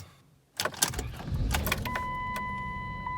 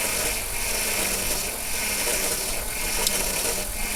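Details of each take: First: 2002 Chrysler Town and Country after power steering reservoir replacement and repeated ATF+4 refills: cranks, catches quickly, and holds a steady idle under a chime with no pump whine or rattle. Normal afterwards, including a drive around the block. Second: 2002 Chrysler Town and Country idling after a power steering reservoir replacement, with fluid low and refilling with ATF+4 underway: faint uneven pump whine and rattle as the wheel turns, from aeration caused by low fluid.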